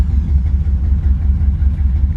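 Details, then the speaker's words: 1973 Chevrolet Camaro, lowered, 350 V8 with brand-new starter, on a drive: deep even rumble, steady beat, no knocks or ticks; great-running engine pulling smoothly. "I'm gonna take it for a quick spin. It's got a great running 350."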